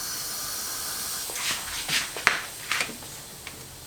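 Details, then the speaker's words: Porsche 996 Turbo, engine off, intake pressure-tested with shop air: sharp airy hiss in short bursts from deep in the intake plumbing; boost leak, location not yet pinpointed. "Yeah, I hear it back in there somewhere. So obviously can't get to it in this situation."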